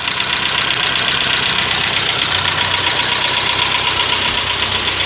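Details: 1992 Saab 900 Turbo, long-sitting, first start, still warming up: fast, fairly even light ticking about four a second over a steady idle; top-end clatter, cause not pinned down.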